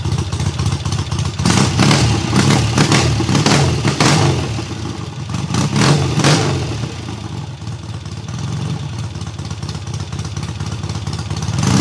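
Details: Triumph hardtail restarted after its first start, engine having sat on the workbench almost a year; clutch not yet disengaging fully: very loud open exhaust barks sharply on throttle blips, then drops to a steady lumpy idle; runs well.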